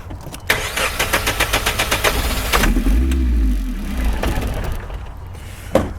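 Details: SR20DE Nissan Primera manual, sat four to five months, runs briefly then dies: steady fast cranking about four beats a second with ether sprayed and pedal floored, never catches; cranks without firing.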